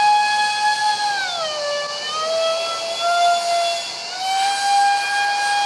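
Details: Su-35 RC jet with twin EDFs, 5-blade rotors, 2600kv motors on 6S: harsh, shrill screech dipping and climbing with fan speed; cheap shaft adapters and mounting pads detached by vibration.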